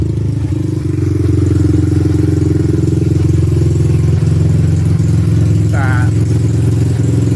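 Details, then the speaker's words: 1986 Honda ATC200X single, just started with the air filter not hooked up: loud, crisp idle with an even, steady beat through the exhaust. Little loud for a 200X but clean and healthy; normal running. "All right, man. Sounds good with that exhaust, man. Sounds all right. Little loud for a 200X, but you know, all bark and no bite probably."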